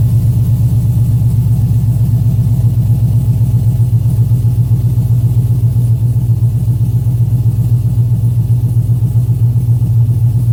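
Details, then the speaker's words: 2007 Chevy Avalanche V8, first start after DOD/AFM delete, Texas Speed performance cam, rebuilt heads and headers, DOD disabled and timing retuned in HP Tuners; deep, lumpy idle with even pulses, cam lope, hollow header note, no ticks or knocks; normal idle. "all right i always love that initial header burn off sounds pretty good you can definitely hear the hitters they always have that i don't know that hollow sound to him oh yeah that sounds good"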